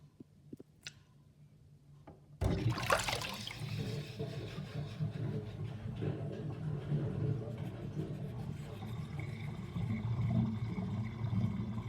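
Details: Kitchen sink drain with drain basket and the overflow covered: faint clicks, then water rushing in, followed by a long irregular gurgling and bubbling as the sink drains.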